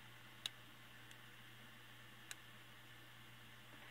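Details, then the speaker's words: Universal waffle iron model 15 UG-17 heating on high after replacing a line cord burnt off its heating-element contacts (heat control frozen): faint steady hum with a few sharp irregular ticks from the plates expanding as they heat; normal operation, not electrical. "ere's some crackling but I think it's just these plates expanding getting hot and I know it is because say you can hear them when I open this tray okay just the tray expanding ain't getting hard it's fine I'm just not the electrical part I'm happy that's just normal operation"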